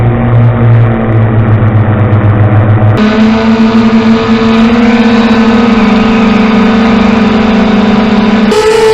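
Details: 250 single running steadily: droning, whirring rumble layered over the exhaust note; bad bearings suspected, not confirmed.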